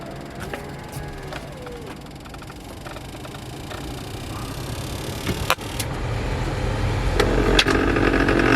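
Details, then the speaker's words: Subaru Impreza blower motor with AC on: rough, rattling cabin fan rumble with squeaky chirps growing louder as fan speed rises; noisy blower motor, fixed by removing glovebox area to reach blower. "hi guys this is a subaru impresser this car has some bad noise like this then we turn on the ac"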